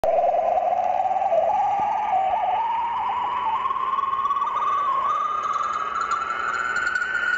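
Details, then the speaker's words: Amateur radio receiver on 80 m band near 3.846 MHz: loud steady whistle slowly gliding upward over hissy background, recurring all morning, interfering with roundtable communications; swept-tone interference, source unknown. "that is the signal that is sweeping across the amateur radio 80 meter band it's been doing it all morning this morning"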